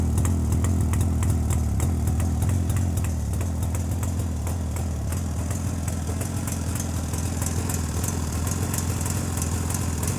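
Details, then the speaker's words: JAWA 350 two-stroke motorcycle idling with a rebuilt electronic ignition circuit imitating the cam/points system: steady, even putter with regular soft exhaust pops, no misses or surging; idle softer than before, normal. "і в цілому на холостих оборотах двигатель робить м'якше і в нього такі вихлопи такі пух пух пух"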